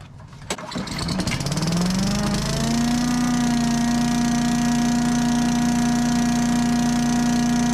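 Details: Old yard vacuum's small gas engine, started for winterizing after a jammed mulcher was cleared and the spark plug reconnected. It catches and climbs to a steady governed drone with a clean constant whine, running normally on stabilized gas.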